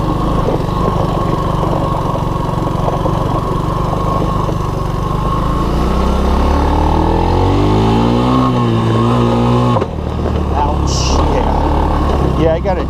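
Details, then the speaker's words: 1983 Honda ATC185S three-wheeler ridden after sitting, single-cylinder thumping under load with a light rattling slap; chain sounds a little loose (suspected, not confirmed); shifter clutch also needs adjustment. "sounds like the chain's a little loose too"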